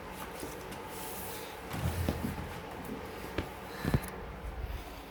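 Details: Clicking starts right away when pedalling a newly home-assembled Yesoul S3 exercise bike, sharp irregular clicks from the left pedal area in a quiet room; cause unknown.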